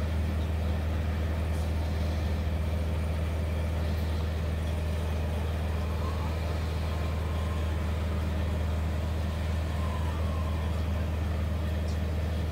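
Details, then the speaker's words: EasyFire EPI EF3801 12V DC electric-start pellet stove, refurbished, during startup as smoke builds before ignition: the pellet auger motor gives a steady, even low hum with no knocking or grinding; running normally. "That noise is the auger motor for the pellets. I don't know if you can hear it on the tape or not."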